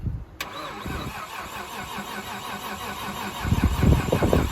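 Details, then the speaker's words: Nissan R33 with a forged RB25, first start attempt after the owner installed the engine harness; starter cranks in an even chug of about four beats a second, never fires. No spark found, though the coil packs have power. "no wow okay let's see what this is all right so i went over everything and i determined that we have no spark but i do get power to the actual coil packs"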